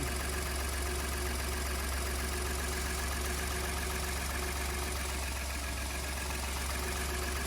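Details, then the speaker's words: 2015 Ford F150 idling on first start after exhaust manifold, turbo and turbo cooling line install; steady low rumble with light whoosh on top, no knocks or misses; owner heard an unexpected turbo startup noise but it runs. "Turbo's starting up for the first time, and I didn't know they'd make that noise. It runs. That's it going for me."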